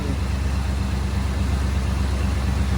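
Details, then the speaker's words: 1972 Chevy C10 V8 idling after new header gaskets on shorty Hedman headers and new valve cover gaskets: deep, smooth, quiet burble. Exhaust leak ticking gone, some smoke from header wrap; normal idle. "header gaskets and we don't have an exhaust leak anymore listen sounds nice and quiet still have some smoke coming off the header wrap but got rid of that ticking so he sounds good running well"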